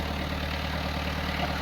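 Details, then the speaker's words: Sailboat diesel engine ("Simone") idling after starter, ignition and alternator work, charging the batteries while a solar MPPT regulator is awaited. A steady, even, low diesel thrum with no knocks or misses. It purrs smoothly and sounds healthy. "As you may be able to hear, Simone is just purring. I'm letting her run, charging up the batteries because I'm waiting for my MPPT solar regulator or charger or whatever."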